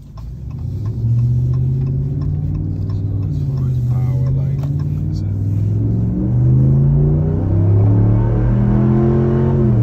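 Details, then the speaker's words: 2021 Ram Limited truck on factory air suspension with 33x12.5 tires on 22s and a Borla ATAK exhaust, heard with the windows down under acceleration: a deep smooth growl rising evenly with revs, no knocks or rattles. It accelerates fine, a normal exhaust note. "so also gotten a couple questions about is the borla attack is that exhausts like really loud and obnoxious and as you can hear has a nice good sound to it um i would highly recommend it sounds good gives you just enough growl without being annoying when you're driving"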